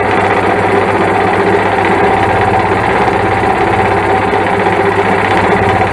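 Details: 1995/96 Sea-Doo SPX 717 yard-sale jet ski on a lawnmower battery: steady, fast starter churning with no firing, cranking but not starting. It later turned out only to need fresh gas.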